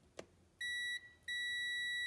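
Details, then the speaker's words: KAIWEETS digital multimeter on the continuity setting with the test lead tips touched together: a clean, high-pitched beep sounds steadily, then stops, showing the buzzer works and the leads are connected properly. "you hear that beeping so yes they're connected properly and then you go ahead and measure that circuit for resistance"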